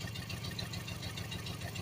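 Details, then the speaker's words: Misfire on one cylinder: idle stumbles with a recurring dropped pulse, "missing like a big dog" even after swapping in a known-good coil pack (one pack fires two plugs); bad spark plug with 10,000 miles suspected, all four plugs to be replaced. "but it's still missing like a big dog the spark plug bad but I'm going to replace all four"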